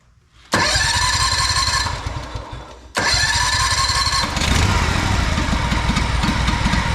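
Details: Honda 4118 riding mower with a GXV610 engine, new starter and two new coils (the old wiring was mouse-chewed), ignition timing checked: it catches, runs unevenly, sags, nearly dies and picks back up sputtering; rough running, with the muffler to be tested next.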